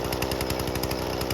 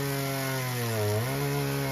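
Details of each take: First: Husqvarna 120 Mark II chainsaw during carburetor tuning: fast even buzzing idle pulsing about ten times a second, idle screw turned in until the chain just starts moving; deliberately high idle set before adjusting the low jet. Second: Husqvarna 120 Mark II chainsaw with its carburetor adjusted, cutting a roughly 15-inch log; the buzz sags and recovers as it labors, which is normal for this small saw.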